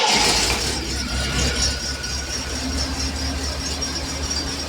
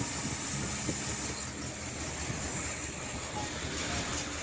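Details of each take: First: 1980 Triumph TR7 at idle after plugging the vacuum port that caused a big vacuum leak: a steady, even idle with a constant low drone and no stumbling or hunting. It now runs fine. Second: 1980 Triumph TR7 first running on its own fuel supply: a loud steady high hiss over an uneven, lumpy idle from a monstrous vacuum leak.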